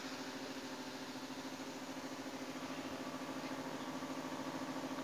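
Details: Electric battery backpack sprayer tank, pump motor running: steady mid-pitched hum with even quick pulse holding level; dynamo sounds smooth and strong pressure; normal pump operation.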